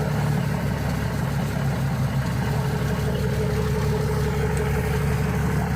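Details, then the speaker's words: 1979 Kenworth W900A with a 290 engine and 10-speed on a cold start, wired through the throttle switch, settles to a deep, steady diesel idle with even throb and no knocks or misses; Jake brake checked, sounds good. "Hit the key. Should fire right off. Up. I do have it wired through the throttle switch. Open the door here. There you go. Take a listen to the Jake's. Sounds pretty good."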